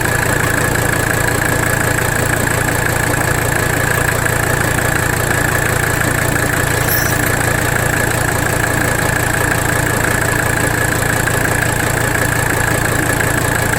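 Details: 1985 Mercedes 300D diesel idling under load during a rack damper bolt adjustment; constant clatter at about three beats a second, slightly uneven; rough idle, not fixed by the adjustment, cause not yet found.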